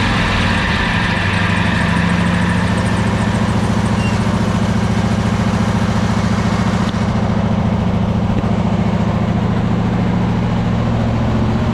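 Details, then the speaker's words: Troy-Bilt zero-turn mower twin that lost power and bogged under load, blades engaged: heavy, lumpy drone sagging unevenly; running on one cylinder, traced to a bad ignition coil before replacement. "at this point it sounds like it's bogging down it sounds like it's running on one cylinder now at that point you're still going to get about 11 horsepower out of it"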